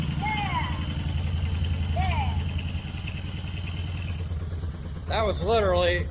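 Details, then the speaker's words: Yamaha Bear Tracker ATV after reassembly: fires straight up with no choke on the key and settles into a steady, even low chug with no misses; oil possibly about a quart low; birds nearby. "i mean no choke nothing i didn't i just finished tightening that hit the key and it"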